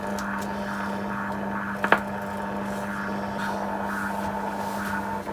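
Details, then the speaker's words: Philips Australia Model 1052 mantel valve radio under restoration, receiving shortwave but set to medium wave: only steady low mains hum and faint hiss, no stations; owner suspects the oscillator isn't working, possibly a capacitor. "Still not getting anything on medium wave still. It really sounds like the oscillator's not doing anything."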